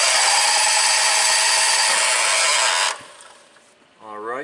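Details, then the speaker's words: 1998 John Deere 6x4 Gator, Kawasaki engine, crank no-start (spark and fuel reported good): fast steady cranking with a rough grinding rasp, then stops dead; compression gauge jumps immediately to about 80 psi and no higher; suspected stripped camshaft gear, unconfirmed. "guys may have heard that grinding noise as it was cranking and if you notice we shot up pretty much right away to about 75 to 80 psi"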